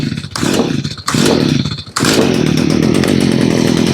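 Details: Stihl two-stroke after fixing bogging (metering diaphragm, fuel pump and gasket replaced), primed and started on a little choke: a couple of sputtering catches, then steady even buzz, no stumbling; starts and runs healthy.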